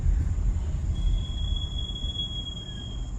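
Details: VW Taigun 1.0L automatic, two years old, about 24K on odometer: thin steady high-pitched brake squeal over road rumble when braking while driving; recurring production issue unresolved by service center.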